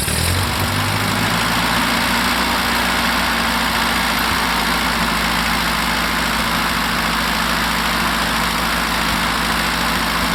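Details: 44 ft Foley Belsaw circular sawmill, freshly greased, first dry run without blade, driven from a Ford 9N tractor PTO shaft: loud, steady mechanical drone with an even, constant rumble and no knocks or grinding. Normal running.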